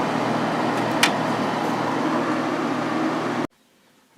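Steady, even rush of air with a low compressor hum and no rattles or knocks; the window unit is running normally on high.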